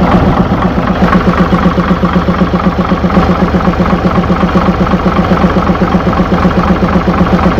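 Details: Mitsubishi 6M70 double-EGR diesel idling two hours after engine rebuild (piston rings, bearings, gaskets, cylinder head) done twice for blow-by: even, steady idle, regular firing about four per second, no puffing or irregular knock; healthy, problem reported solved.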